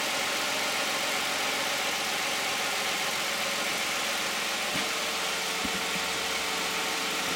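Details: 2010 Toyota Camry 3.5 V6, 93,000 miles, Pennzoil Ultra 5W-30 synthetic and Wix filter, cold start. Steady, even idle under a smooth hiss of belts and injectors, with no knock or tick standing out; a quiet, healthy engine.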